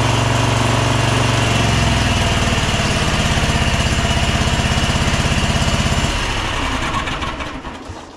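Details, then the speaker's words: Bad Boy zero-turn mower, Kohler 7000 KT745 engine bogging, each cylinder tested by unplugging one plug wire: rough, lumpy idle about 200 beats a minute unchanged with a plug pulled, then dies; one cylinder not firing. "Let's test these cylinders independently to make sure they are both working we'll unplug one cylinder see what kind of difference that"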